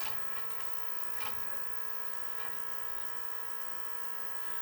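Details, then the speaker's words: Beckett oil burner motor gives a steady electrical hum with no rising blower whir and won't spin; burning smell, the motor can't turn because the oil pump is seized. "see that was just humming the motor's not stopping we got a bad motor or something"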